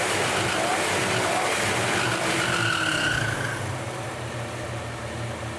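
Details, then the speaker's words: Repaired Mustang limousine, fuel now reaching the engine, running about half an hour without stalling while idle speed and fuel mixture are still being adjusted: engine revs high and returns cleanly, no stumble, with a faint squeal on top; running well. "To, čo ste počuli, ako ide auto dobre, bude sa treba s nimi spreviesť, nech všetko si sadne, nech všetko je jak má, ale benzín nám ide, auto sme už mali naštartované asi pol hodinu, nezdochne."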